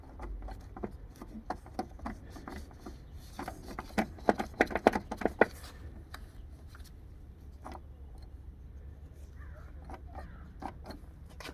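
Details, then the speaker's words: 1965 Admiral color TV/stereo/phonograph combo, solid-state receiver: irregular sharp pops and clicks, at most two a second, over a low hum from the speaker; owner suspects bad switches, unconfirmed. "I am hearing a pop from the speaker, but it's like these switches are bad."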